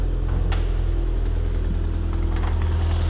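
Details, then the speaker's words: Factory-turbo 90s Toyota MR2: a low, slightly uneven idle with a soft irregular flutter of about three pulses a second that disappears when revved. The owner suspects an exhaust leak at the turbo manifold header area. "You heard that little flutter, so I'm pretty sure that's an exhaust leak, because if I rev it, it goes up a little, but then it disappears. Right now, the engine sounds perfect, but at low RPM, it's got that little flutter."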